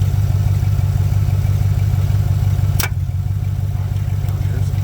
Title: gmc sierra At4 cold start clunking/knocking sound.